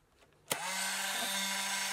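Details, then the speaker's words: Untested eBay Polaroid SX-70 with an old 600 cartridge inserted: after a click the small motor whirs on at a steady high whine and never stops; the mirror is not seated or moving, a suspected failed drive coupling. "And, as you can hear, it just keeps going. The mirror, I feel, is there, and it's not seated properly."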